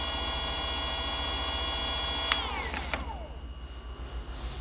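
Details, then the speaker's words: Brand-new Cyclone bike mid-drive motor on first run, stock nylon planetary gears: steady high-pitched whine with even gear hum, then clean spin-down; normal running, about 85 dB measured touching the case. "this one has the planets here the nylon planetary gears inside and I was just going to demonstrate what it sounds like"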